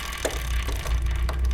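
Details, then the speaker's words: 1971 Honda CT90 at about 1200 miles, rear wheel raised and spun by hand: low chain rattle with scattered light ticks each turn, something hitting; owner suspects the chain rubbing on something, possibly a rock stuck near the kickstand. "So it's pretty hard to tell what's going on here. Obviously there's the noise of the chain like rattling when I spin it."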